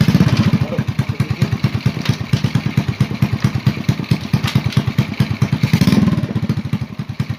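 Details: Honda Supra Fit motorcycle after reassembling the magneto side to cure a rubbing noise there: crisp regular single-cylinder idle with a brief blip, no scraping or screech; fixed.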